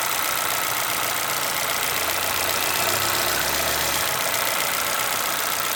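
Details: Chevrolet Celta VHCE Spirit 2011 petrol engine idling with a sharp, fairly regular ticking knock about three per second; source of the knock unclear, owner asking for ideas.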